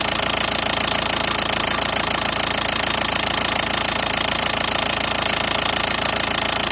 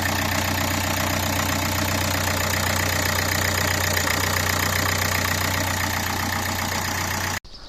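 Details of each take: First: Knock on a 2012 Nissan Qashqai 1.5 diesel that began suddenly on a morning start: a hard, even knock at about three and a half per second at idle, the same all over the engine and at every injector by stethoscope; camshaft timing jumped from a sheared pulley key. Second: 2012 Nissan Qashqai 1.5 dCi diesel after replacing the timing belt kit, water pump and rollers (belt had jumped about four teeth): smooth, even idle with no knocking, then switched off.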